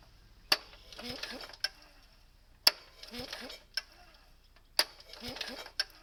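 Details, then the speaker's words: Kohler engine tractor, recoil starter after realignment: three clean pulls about two seconds apart, each with a crisp click and smooth ratchet whirr, no slipping or skipped teeth; normal recoil starter engagement. "That sounds good. Doesn't skip a tooth. It sounds like it's supposed to."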